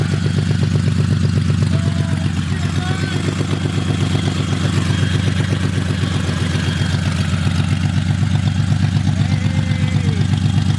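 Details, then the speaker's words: Built VQ35DE V6 in a Z, first start-up, finally idling after earlier backfires, run only briefly because there is no coolant in it: steady, even low idle with a smooth regular beat and no misses or knocks; normal idle. "right now we're just finally idle so get to like fully wound up"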